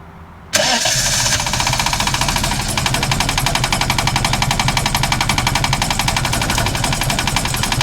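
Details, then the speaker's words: VL engine after a distributor rebuild, timed at TDC with a timing light: catches at once, then runs with an uneven, lumpy beat that never settles into a smooth idle. Running rough, cause unknown. "Alright, yet again, this thing's defeated me."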